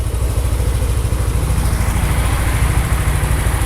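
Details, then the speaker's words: Motorcycle engine at idle on Mesran B40 diesel oil mixed 50/50 with cooking oil, BP 92 petrol: even, steady putter, about three firing pulses a second, no knocks or rattles; owner judges it smooth. Normal idle. "suara mesinnya kayak gini ini halus atau kasar ya silakan nilai sendiri kalau menurut nulisnya suaranya termasuk alus ya"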